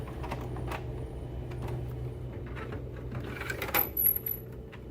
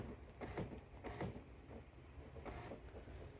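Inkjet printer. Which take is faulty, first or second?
second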